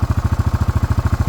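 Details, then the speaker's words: Honda ATC 250SX single-cylinder engine powering a Club Car DS golf cart, run this way for three years: steady, even thumping at a fast idle, about fifteen beats a second, no misses or knocks; normal idle. "Campgrounds, things like that, no problems at all. Great running machine, does everything it should."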